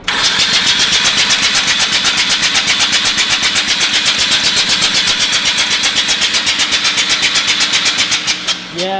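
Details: Mazda RX-8 13B rotary, flooded, on the second day of de-flooding, cranked with clutch in and throttle floored. Steady starter cranking at about four beats a second for nine seconds with no firing: the engine is still flooded.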